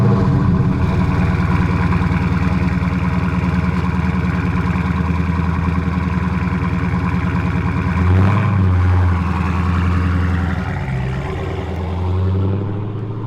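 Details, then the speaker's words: 2018 Dodge Challenger T/A 392 V8 just back from dealer repair: idle with an uneven throb pulsing about three times a second, coming from the front of the engine; cause not pinned down, car returned to the shop. "there's this weird noise coming from the engine i'm gonna play it now"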